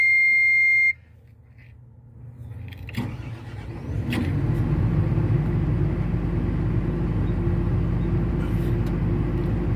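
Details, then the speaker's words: Caterpillar diesel machine after repaired injectors refitted (previously cranked but would not start without starting fluid): beep, brief crank, fires promptly and settles into steady even run; normal start. "ahí está la máquina en marcha [Música] bueno como puedes ver está en marcha la máquina"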